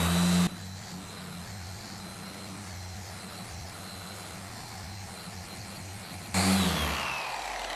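A steady, even hum with a low drone that holds constant under load; the polisher runs smooth with no wobble or strain.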